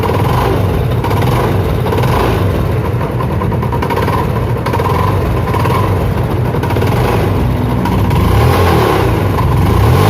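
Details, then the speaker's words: Spark 135i before repair: small single revving with rough, uneven rapping deep in the bottom end; worn crank, later fixed with new connecting rod and big-end bearing and 58.5 mm piston. Crankshaft big-end knock. "อย่างนี้ได้จะเป็นเหมือนเสียงข้อเหวี่ยงนะครับ"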